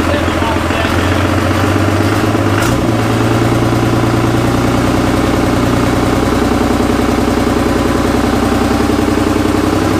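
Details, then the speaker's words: Cummins diesel-swapped Jeep YJ on its first start-up: runs a touch choppy for the first seconds, then settles into a steady, even diesel clatter at idle. Normal idle. "Sounds good. Had me a little concerned at first. It was a little choppy sounding, but they sound so funky pulling intake air too."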